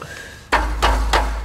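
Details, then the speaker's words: Subaru exhaust after a loose heat shield was clamped down with hose clamps: firm taps give dull solid thuds with no metallic buzz, and the idle rattle is gone. "rattles gone fairly simple I Think I Love Simple Solutions just like this cheap too hose clamps smack around in the exhaust look for what's loose clamp it down"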